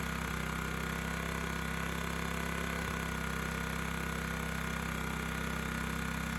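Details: Honda EX1000 1kW petrol suitcase generator, side covers removed, running after simply adding fuel despite being reported not working; tested with a 350 W motor load; steady, even low drone with no hunting, misses or knocks; normal running.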